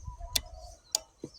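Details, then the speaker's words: 2014 Jeep Wrangler no-start; known-good relay on a relay tester, four crisp even clicks about half a second apart while cycling; the suspect K3 starter relay later failed the first cycle: normal relay operation. "Let me test this one here to show you how it works when you have a good relay."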